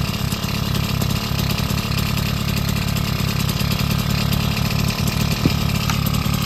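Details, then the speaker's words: Bullet Train BT80 two-stroke bicycle engine kit, first run after wiring and battery install: busy, rapid buzz with steady even beat, no knocks or misses; normal running. "So, put the little switch in the off position. Time to hear it run for the first time."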